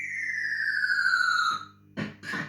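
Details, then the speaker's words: System 80 machine after its speaker was replaced: a clear falling electronic tone then crisp game effects, much louder and undistorted; normal sound output. "actually sounds really good sounds like a different machine"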